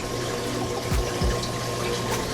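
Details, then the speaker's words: Reef aquarium circulation pump (75-gallon tank) run at 100%: steady low hum around 100 Hz under splashing water, extremely loud at full speed; owner plans to tune it down. "I can't run this at 100% it is extremely loud let me see if I could let you guys hear so you hear the humming"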